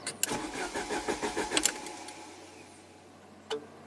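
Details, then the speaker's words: 1993 Saab 9000 CSE Turbo with water-damaged engine computer, fuse blown, dead short to ground: starter churns in quick even pulses about a second and a half, never fires, as the computer is dead. "fuel pump and injector relay turn off or main relay that's too funny and obviously the fuse is blown so yeah this computer is definitely junk"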